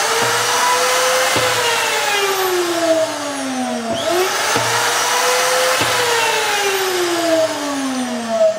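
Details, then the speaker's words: Low-use 2005 Hoffmann MU2 dovetail key machine, single-phase 110 V: router motor auto-starts, high whine spins up sharply, sags under each cut, then restarts, no rumble or rattle; bearings run essentially as new. "run it for an extended period now so you can hear the bearings they're just it pretty much runs as new"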